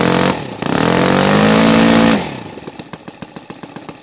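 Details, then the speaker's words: NGH FG 38 model engine, CH ignition timed at 30° BTDC, Topflight 20x6 prop: winds up to a high steady pitch, then drops to a slow, uneven popping idle with loud firing cracks. Rough transition; owner suspects carburetor fuel pooling and venturi size. "think it puts you a different choice on the carburetor because it's pooling up it's not quite there transition it's not running"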